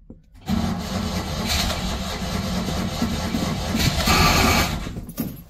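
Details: Citroen 2CV 602cc flat twin, cold start after about eight months unstarted: uneven cranking that catches and stumbles before settling into a ragged run; rough, reluctant start.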